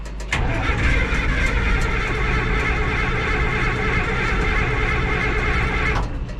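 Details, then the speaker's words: Minneapolis Moline A4T 1600 diesel tractor, chilly day, after fuel filter change and priming: heavy steady cranking with fuel on, smoke appearing, not yet catching; a cold diesel struggling to fire. "Now we'll give it some fuel and we'll see if she'll go. Smoke, that's a good sign."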